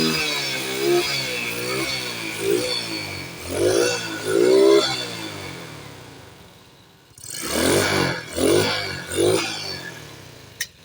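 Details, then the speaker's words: Spark 110 X1 (same engine as Spark Z/Nano) with no-acceleration fault: with air filter/carb intake rubber removed, sharp throttle blips climb and drop cleanly; fitting the intake stops it revving, suspected both lean and flooding in the carburetor. "ตอนนี้มันก็เร่งขึ้นอยู่เพราะว่าเราถอดไส้กรองออกนะครับถอดไส้กรองหรือว่าถอดยางปากกระบือมันก็จะเร่งขึ้นนะครับทุกท่าน"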